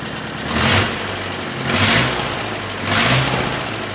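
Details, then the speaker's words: Nissan 910 Bluebird wagon running on a radiator filled with plain water for testing: steady, lumpy, raunchy idle with a loud whoosh swelling about once a second, likely the radiator fan; engine runs even, normal idle. "That's got a bit of a raunchy sound to it, I like it. That's fantastic, alright."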